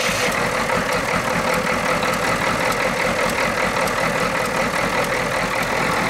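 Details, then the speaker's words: 1991 Ford F250 IDI diesel, warmed up, with a fresh air filter and a high idle set (it used to stall); even clatter at about two and a half beats a second with no stumbling or hunting. Normal idle. "good you go she's purring"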